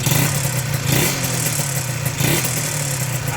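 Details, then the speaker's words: Used Yamaha VR motorcycle being sold as-is: quiet at idle, then a rough clattery rattle rises with each throttle blip; seller unsure whether piston rings or connecting-rod bearing, not repaired. "เสียงนี้ผมไม่แน่ใจว่าเป็นลูกแหวนหรือลูกปืนไตก้านนะครับ"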